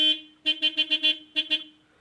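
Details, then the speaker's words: Factory horn, previously stopped working, cleaned of packed dust and tapped loose so its part moves again: clear strong two-tone honks, one toot then five quick and two more, working properly after repair. "повистукував і тепер працює так що в нас тепер піпікалка буде"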